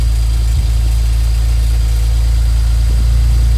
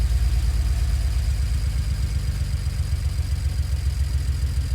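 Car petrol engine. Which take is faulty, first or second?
second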